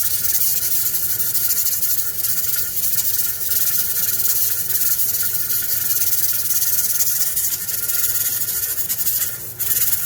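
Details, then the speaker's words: Pressure canner processing potatoes on a gas stove, holding about 12 psi (10 psi minimum) for a 40-minute process: steady hissing with a faint rocking rhythm from the weight on the vent, normal operation at pressure. "yes we need to listen to that noise for the next 40 minutes it looks like mine's going to sit at about 12"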